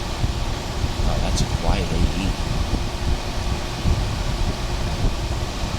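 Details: 1978-79 GE Sahara 14-pint dehumidifier with an Aspera compressor (like a Tecumseh AE), curb find, test-run after drying for 24 hours. Steady low hum under an even fan rush, no rattles or knocks. Running normally.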